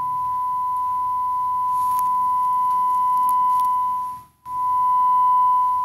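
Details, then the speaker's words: Gallien Krueger 400RB bass amp fed a steady ~1 kHz test tone: volume raised with preamp volume around a quarter, tone stays clean with no static, crackle or hiss; volume pots quiet. "i'm not hearing any static which is nice so usually when this stuff happens when you're hearing when someone complains about their being static in an amplifier it's typically going to be on the pots that are used the most"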